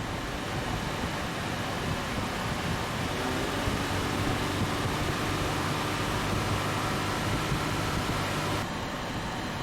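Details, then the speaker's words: 2006 Honda Odyssey 3.5L with AC complaint (compressor clutch not engaging): cabin blower at increased speed, steady even air rush over low engine hum, no squeal or rattle; AC working again after wiggling the suspect relay, engine then revved. "Alright, so we are inside the vehicle. Let's increase the vent speed. Ooh, this definitely feels good."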